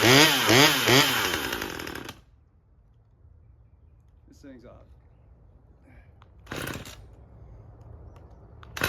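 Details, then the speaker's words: Husqvarna T540 XP Mark III chainsaw, acting up again a month after a new fuel filter, cold start: surges unevenly about two seconds, then cuts out; fuel starvation suspected and a pump diaphragm planned, unconfirmed. "Came back, I don't know, maybe a month later. Hey, it's acting up again."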